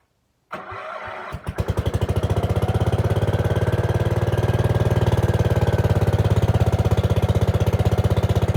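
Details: Gravely 5665 freshly fitted with a China carburetor (after a 15hp carb was tried): it catches after a brief crank and chuffs at a low, somewhat uneven idle, but only keeps running with the choke on. Cause unconfirmed.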